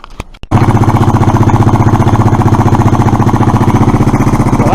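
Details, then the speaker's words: Suzuki Address scooter, after unblocking fuel valve that wasn't priming: small single-cylinder pulsing evenly and quickly; idle probably set a little too high, cause suspected, not confirmed. "put it all back together I've probably got the idle set a little too high but unless you put an electronic attacker graph on the HT wires you can't tell"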